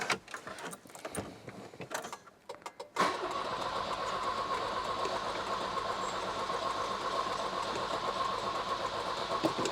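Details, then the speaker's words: Volvo 240, after cleaning the distributor for a bigger spark: starter whirs at a steady even pace after some clatter, never catching or firing; cranks but won't start, spark at plug next checked. "No, no, still not going, still not going."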